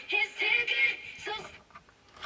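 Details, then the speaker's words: Early-2000s 5-inch monochrome portable TV playing FM radio near full volume: thin, tinny sound with no bass and a harsh rattly edge, seeming to come from underneath; speaker has come loose in its mount. "It sounds horrible. Oh, it is. I say, Andy, you got a loose speaker in there,"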